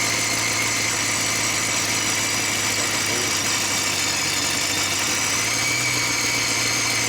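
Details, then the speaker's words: Car engine idling after exhaust install: loud, raspy, hissy idle with sharp puffing, as if no exhaust fitted; exhaust leak, upper flange uneven against the header flange, H pipe to be ordered. "Got an exhaust leak. He's gonna order an H pipe, but that's not the problem right now."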